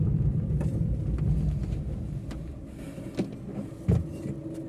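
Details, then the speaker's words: 2021 Maruti Eeco CNG, 31,000 km: after throttle body cleaning and throttle calibration, idle is perfect and it drives well with no rpm fluctuation; steady low engine rumble under way, no misfire or surging, a couple of light road thumps. "Idol प एकदम perfect है देख सकते हैं sound सुन सकते हैं और चलाने में भी काफी अच्छी है कोई प्रॉब्लम नहीं आ रही"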